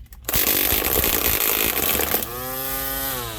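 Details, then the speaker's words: Ryobi P2006A 18V One+ brushed grass trimmer with cutting string left too long: loud harsh buzzing whir with slapping at full speed, then falling whine coasting down. "My string was a bit too long, that's why it was noisy like this."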